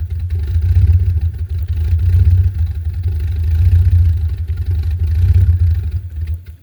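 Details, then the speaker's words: 2001 Jeep Grand Cherokee Laredo 4.0L inline-6, cold start in snow at about 11 degrees: a deep, uneven idle that lopes and dips every second or so. Rough cold idle that sometimes stalls. "And see, idle is rough when it's cold, as you can hear it."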